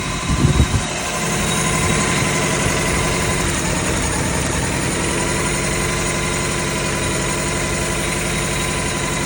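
Petrol engine idling with an uneven, stumbling beat from a cylinder misfiring.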